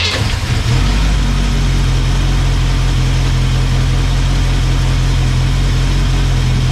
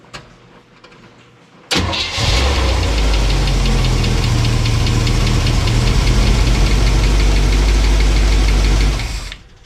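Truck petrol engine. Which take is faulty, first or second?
second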